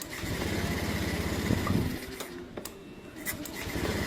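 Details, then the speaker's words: Honda Beat ESP that would not start on the electric starter, with no fuel pump hum or ignition, after replacing the faulty relay: fires at once on the starter and settles into an even, quick idle. "Sekarang mah udah normal lagi ini. Cek gor tuh langsung starter hidup off lagi hidup."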